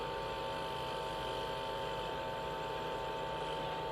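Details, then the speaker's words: Frigoboat boat fridge just restarted after repair work on a condensation problem, with a steady, even hum and no cycling or rattles. Compressor and fan running normally, no gas leak apparent. "Ça y est, je viens de mettre en route. Donc là, il y a tout qui tourne convenablement."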